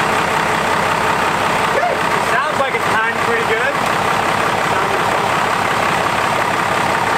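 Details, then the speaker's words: Normal idle of a 12V Cummins diesel after the injection pump and injectors were reinstalled: steady even clatter with no misses, running a little smoother, no oil leaks seen. "yeah it sounds good it does sound like it's running a little smoother"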